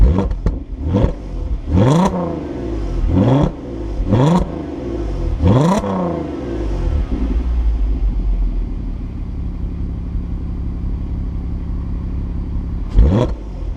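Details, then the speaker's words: Mk5 VW Golf R32 (Copart salvage, Cat N), warm idle blipped five times, mic near exhaust: raspy chuff and crackles on each lift-off; exhaust off its mountings and blowing, cats stripped out so it pops and farts. "yeah isn't it there's a blow Oh they've stripped out the cats because it pops and farts a little bit"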